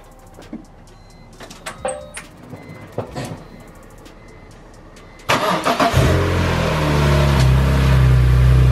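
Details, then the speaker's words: BMW E46 M3 at first startup after a valve adjustment: scattered clicks, then it cranks, catches and settles into a smooth, even idle. It is much quieter, with no ticking at all. "it's much quieter dude much quieter that's nice there's no ticking at all"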